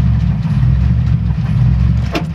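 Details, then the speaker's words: 1994 Chevy Astro van: key on, warning light goes out, then it starts and settles into a deep, steady, even idle with no misses, after a no-start traced to a 30 amp circuit breaker with a broken brass terminal. "you turn on the key and you get the light goes away then it starts now"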